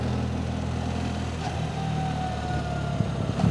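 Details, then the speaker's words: 2025 BMW R 1300 RT boxer on the road: faint thin whine over deep throbbing engine, dropping in pitch as revs ease; rider attributes the whine to the valve (cam) chain and its guides. "You can hear that whine. That's the valve chain, the guides. It's the chain is that whining noise. That is annoying."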